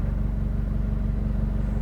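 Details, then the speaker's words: 2014 Mazda NC Miata at Gingerman Raceway, idling: sharp chuffing puff on every firing pulse with no muffler cover; huge exhaust leak, suspected secondary O2 sensor fell out or its bung broke; primary sensor fine, no codes yet. "But you do obviously clearly have a huge exhaust leak right now."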